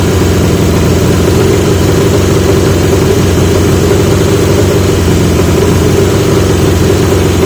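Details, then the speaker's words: 1980 Yamaha XJ650 with new (old) pipes; fast, steady idle not on the switch that never drops back; idle screw backed off fully, not touching plate, carb throttle not closing; owner wonders if needle height. "now that high idle that's not on the switch so I was dialing it back"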